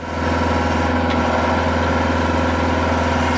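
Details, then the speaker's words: Skid steer driving a 12-inch rock-bit auger into rocky ground; steady hydraulic drone with even low hum and light scraping while boring through dirt; normal auger drilling. "all dirt right there. Still hitting just dirt. Still dirt. There's rock. You can hear that difference there."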